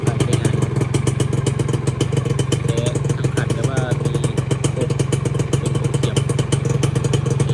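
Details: Dash New, year 44 model, stock and original, started from cold: a two-stroke idle with a steady, crisp popping beat and no knocks or rattles, sounding healthy.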